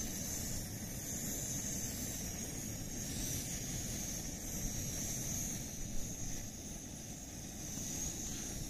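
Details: MSR WhisperLite Internationale 600 liquid-fuel stove on a back deck in late November, relit after about five minutes off and repressurized, boiling water: steady even roaring hiss, no sputtering or surging; burner running cleanly at full flame.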